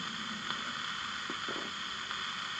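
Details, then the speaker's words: Old Sony Handy Personal battery table radio after replacing bad capacitors; constant hiss, no reception, faint crackles, static louder than before; transistor fault suspected, one of three transistors. "Everything makes it a little the static a little bit louder. But yeah, I don't think it's that. That sounds more like a transistor problem."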